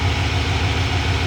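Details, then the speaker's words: 1992 Ford F-150 V8 farm-find pickup, started with a new battery, slightly low on coolant. Smooth, deep, even V8 burble at idle with no knocks or ticks; normal healthy idle. "just listen to this engine beautiful beautiful engine"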